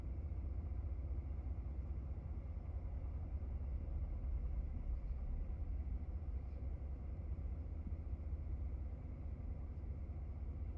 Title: 2017 F150 5.0 Rough Idle and Stall